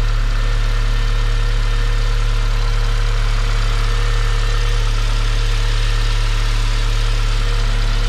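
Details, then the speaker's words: 2009 BMW E87 118i N46 after replacing the Valvetronic motor and eccentric shaft sensor for rough running, stalling and fault 2851, with codes cleared: steady, even idle with a low constant drone, no stumble or hunting; running fine. "okay looks okay so far seems to be running"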